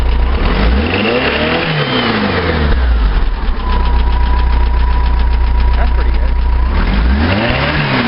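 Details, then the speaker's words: Flat-four after carburetor main jet downsized from a too-rich 170 and redrilled to about 165-166: blips up and settles back cleanly twice, smooth with no stumble or popping; sounds good, main jetting not yet road-tested. "Okay, she's back up and running. She sounds good, but we won't know if we got the main right until we go for a drive."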